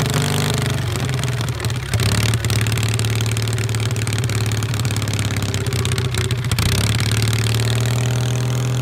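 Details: 1973 SS16 twin revived after two years sitting (carb cleaned, rusted valve freed, parts swapped), driven around: low steady twin-cylinder drone with even beat and a few rev changes, smooth; normal running.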